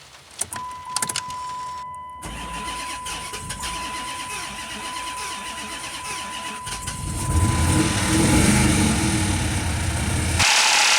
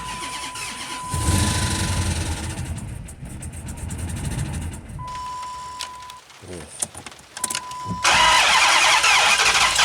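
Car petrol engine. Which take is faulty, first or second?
second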